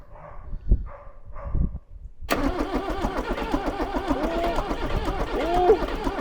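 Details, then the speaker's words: Range Rover Classic barn find, off the road eight years, rebuilt 2.5 VM diesel just fitted: slow cranking bursts then rough uneven churning as it nearly fires but won't run; diesel cranks but does not start. "nearly he's firing put the heater plugs on again here we go"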